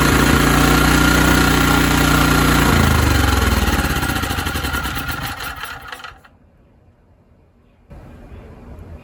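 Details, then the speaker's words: ETQ TG3000 3000W portable generator that wouldn't run on its own. Primed with a spray into the intake (air filter off, choke toggled), it came up to speed and ran fast and even briefly, then sagged and died; fuel starvation. "But it didn't keep running. It did come up to speed. Did run for a little bit."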